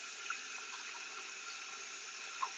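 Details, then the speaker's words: Success AT-407N acoustic water leak detector with ground microphone (silicone skirt) at high sensitivity, before sensitivity is lowered toward 0 dB. With the water running, the signal reads 100, full on both lines. A steady, even hiss with no low rumble: water flowing through the pipe like a leak. "And now we can see that the signal is 100 full on both lines. It means that the water is running and we can hear it."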